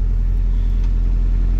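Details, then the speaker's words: Normal idle of a Honda B16 VTEC-swapped Mini right after starting following a steering column rebuild; deep even low rumble, no misses or knocks, left running to charge a weak battery. "So I'm just going to leave it run, let it charge the battery, might bring it on a spin around the corner. Yeah, she still sounds good."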